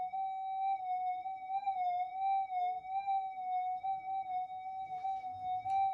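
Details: Repaired stock Minelab GP Extreme metal detector after a secondary regulation update and main-oscillator pot-core inductor change, volume turned up: steady clean high threshold tone, even pitch with slight wobble, no crackle or dropouts; normal threshold tone.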